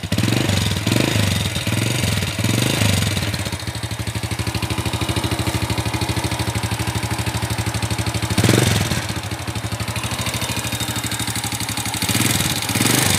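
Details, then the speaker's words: Honda Supra Fit, palm-oil hauling, smoky, welded front sprocket: fast sharp metallic clatter ticking with idle, louder on each blip; fairly severe valve train noise from worn rocker arms and camshaft. "Ya guys, jadi seperti itu suara motornya ya. Gimana? Lumayan parah."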